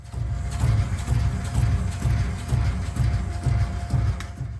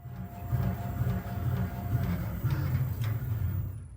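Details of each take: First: Audi RS DRC shock absorber on a test bench, nitrogen pressure lowered to simulate a faulty central valve: deep rhythmic knocks about twice a second, like cars with knocking central valves. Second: Audi RS4/RS5/RS6/RS7 Dynamic Ride Control (DRC) shock absorber on a test rig, solenoids being driven to make it much softer: even low thumping strokes about two a second, no knock, squeak or hiss; damper cycling smoothly and healthy.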